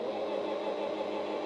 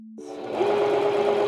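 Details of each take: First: Singer sewing machine, foot pedal pressed but the needle bar is not moving because the bobbin winder is engaged and spinning. Steady mid-pitched motor whir with no needle ticking. The fix is to disengage the bobbin winder. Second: Singer sewing machine sewing a zigzag after cleaning, oiling, timing and tension adjustments, with the bobbin rethreaded correctly. Fast, even needle chatter about three stitches a second with a steady motor hum; clean stitch, no bobbin thread showing.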